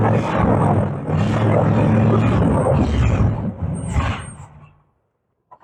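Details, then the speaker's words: Camaro carbureted V8 barn find, first start after 32 years parked: rough roar that surges then dies within seconds unless fuel is hand-fed; fuel starvation blamed on the carburetor. "I had to hand feed it fuel Yeah. to get it to stay running, but it runs. That's fine. Wow. It's in the carburetor."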